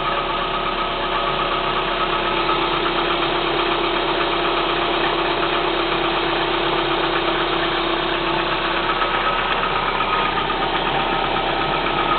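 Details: Kia Spectra 1.6 engine at cold idle: light, fairly regular tapping, about two to three a second, over a steady idle; engine knock of unclear cause.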